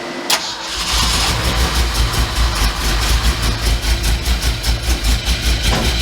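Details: 1967 Mercury F-250 drag truck after the distributor was loosened: catches into an uneven, lumpy, loping idle; running rough, ignition timing likely off.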